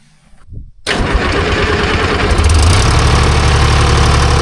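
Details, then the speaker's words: Timberjack skidder diesel after replacing a faulty N50 injector; cranks, catches within a second and settles into a steady, even run with no misfire or stumble, sounding better. "Sounds better. Better. Yeah. Let's see how she fires. Better. I ain't mad at that. No. Sounds good."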